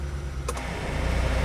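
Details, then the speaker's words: Mitsubishi Maven with AC switched on: sharp AC clutch click, then idle drops from about 800 rpm to roughly 500 rpm and labours, because there is no idle-up signal to the ECU; fix planned via added intake-manifold air control switch. "Hi Ho langsung 500.000 Peter semua tuh turun ya file-nya 800 turun lagi"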